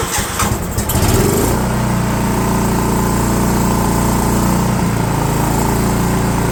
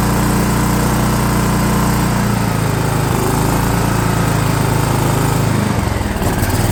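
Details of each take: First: DR all-terrain mower with Kawasaki FV420V engine, revived after sitting for years; carburetor jets sprayed with brake parts cleaner, gaskets possibly leaking. Catches after a brief rough start, then settles into a steady, even idle. Running better. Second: DR all-terrain mower, Kawasaki FV420V engine after years sitting, fuel lines leaking: runs rough and uneven, sags and stumbles instead of idling; owner thinks it's flooding, then opens the carb bowl suspecting the float and finds it in bad shape.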